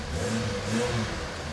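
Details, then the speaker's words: Suzuki Jimny with a replacement engine, automatic, on a test drive after the build: engine picks up cleanly and settles back smoothly, an even note with no knocks or rattles, a bit more power; normal running. "Oh, it sounds good now."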